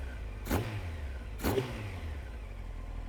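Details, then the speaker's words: SC33 Honda CBR900 Fireblade after fixing a dead cylinder and balancing the carbs: two quick, clean throttle blips rising sharply and dropping straight back to a steady idle, running on all four with good throttle response. "absolutely good so more than happy with that there you go running on all four good throttle response"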